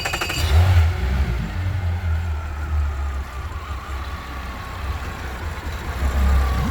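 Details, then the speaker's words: 3-year-old Mercury V6 outboard on Boston Whaler 21 Montauk, no codes, idling: uneven stumbling beat, idle air control valve hunting, running on five cylinders; misfire. "The idle air control valve really tries to keep up with it. Hear that? That sounds like she's running on 5 cylinders. Shouldn't have that shimmy."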